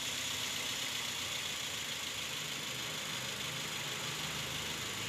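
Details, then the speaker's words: Toyota Rush petrol engine idling rough with an uneven stumbling pulse under loud hiss, a misfire traced to the number-three cylinder (no change when its coil plug is pulled). "Telah dipastikan bahwa koil nomor tiga adalah penyebab masalahnya."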